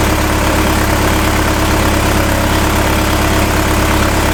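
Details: 1986 Toyota 4Runner after electrical harness work, after adjusting idle air screw and disturbing fuel resistor, O2 and mass airflow connectors: steady, even idle, constant low hum, no stumbles or surges; normal idle.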